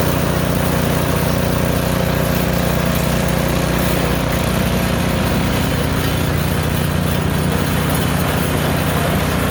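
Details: Craftsman snowblower, about 3–4 years old, running through forward and reverse gears (6 forward, 2 reverse) with auger on and off: single-cylinder engine holds a steady, even beat under load, no misses, knocks or surging; runs healthy.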